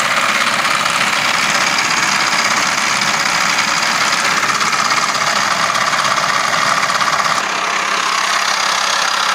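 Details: Idling with the air conditioning engaged: a dense, uneven metallic clatter rides steadily over the engine, a clattering noise that appears with the aircon on, cause undetermined.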